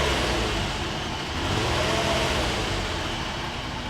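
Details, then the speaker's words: Flood-damaged car, first start after charged battery, water being pumped out: engine revs smoothly under throttle to a steady full roar, no knocking or stumbling; sounds healthy. "get some gas let's see what a shootout that sounds so good"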